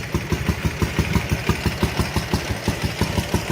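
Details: Ural twin motorcycle revived after sitting 11 years, chokes in; even loping thump about three beats a second, both cylinders firing, slightly uneven; normal idle, carbs still untuned.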